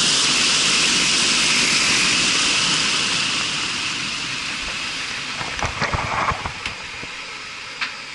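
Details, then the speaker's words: Marley cooling tower fan test run after gearbox oil fill and repairs: strong even rush of air over a smooth whir easing down, no grinding or knocking; running smooth, factory balance and setup. "Vin all right guys she's running good man she is running good make sure all is tight"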